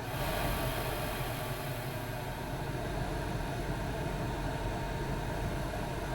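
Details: Chinese diesel heater (eBay) in a van, tank at front of vehicle, intake heard: even, steady rushing roar with no surging or popping; intake and burner running smoothly.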